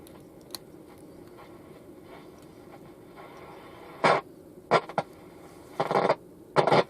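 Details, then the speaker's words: Fidelity Floret 7-transistor portable radio, dead on arrival, played through an external speaker: faint hiss then loud scratchy crackle and popping bursts from a dirty switch. "Dirty switch."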